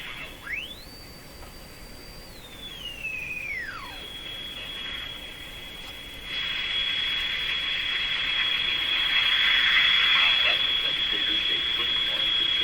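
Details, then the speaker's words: Sparton Model 5049 radio that oscillates when its IF transformers are peaked: a high steady whistle under the hiss, with sweeping tones ringing as they pass it, from an IF stage on the verge of oscillation. "when you have a circuit that's just about to oscillate it will boost any frequencies that are close to that oscillation it'll cause them to ring a little bit like shouting into a piano or shouting into a guitar"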